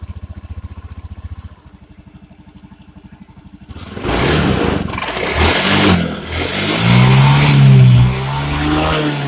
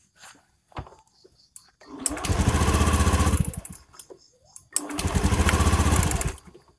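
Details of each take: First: Honda Beat injection scooter that was sputtering, after replacing a broken spark plug and leaking plug cap (fuel pump not at fault): a few weak cranking pulses, catches, revs cleanly and drops to steady idle without stumbling; normal running. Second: Honda Beat injection scooter misfiring badly (brebet), plug-cap cover removed: engine catches in rough, stuttering bursts of about a second, then cuts out dead; spark leaks through a bad plug cap, plug also faulty. Earlier shop wrongly blamed the fuel pump.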